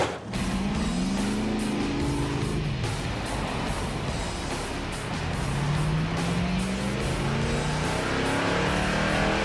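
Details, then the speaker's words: '67 Pontiac Firebird V8 on the highway with a dead alternator, pulling hard at high rpm under load, stumbles and breaks up; misfire from low battery voltage starving the ignition, worse at higher load. "we're running out of voltage already yep did you hear it Miss yes low voltage on the ignition system yeah with a higher lad at high RPM and fell apart worse"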